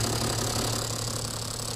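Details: Toyota Land Cruiser diesel engine at idle shaking instead of running steady: low, slightly lumpy rumble; rough idle or misfire.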